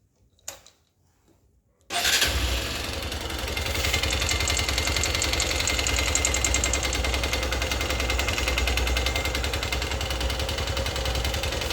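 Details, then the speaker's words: Honda XR150 motorcycle, 18,000 km, single-cylinder: loud, harsh metallic knocking throughout the engine from the cylinder head/cylinder after the owner says it ran without oil; it also smokes heavily and lacks power. "pero tiene un problema que es golpea el motor. Es como que quedó sin aceite, manifestó el dueño, y golpea todo el motor. Hace un ruidazo."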